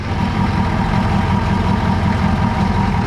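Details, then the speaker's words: M1009 CUCV military Chevy K5 Blazer diesel, just started after sitting over two decades, cold following glow cycles: steady low diesel clatter at an even idle, no misses, knocks or hunting. Normal idle. "hell yeah old girl dude they don't make them like they used to no slow and reliable"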